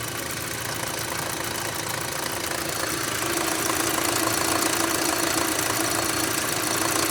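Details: 2006 Audi A3 2.0 L: sharp, fairly regular ticking knock about four per second over the idle, persisting after the oil sump was cleaned; engine knocking, cause not pinned down.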